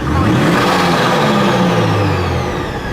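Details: Subaru BRZ with Kraftwerks supercharger kit, engine bay, free revving: revs up smoothly and settles back without any rising supercharger scream, just a light flutter on lift-off from the plumb-back valve; quite loud but healthy.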